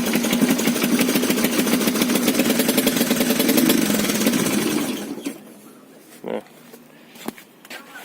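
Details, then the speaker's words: Ag200 single-cylinder motorcycle with new carburettor, fired on second kick: even, steady idle thumping for about five seconds, smoking heavily like a two-stroke; engine sounds healthy. "Fired up straight away, and here comes that smoke. Awesomeness. Second kick, the new carb. Listen to it idling, it's even idling."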